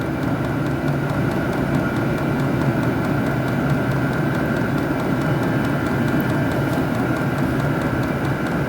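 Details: Modified Vevor diesel heater controlled over Bluetooth, with its power supply adjusted to about 12 volts: even, steady combustion roar with a soft regular pump tick and no surging or sputtering. Heater running normally.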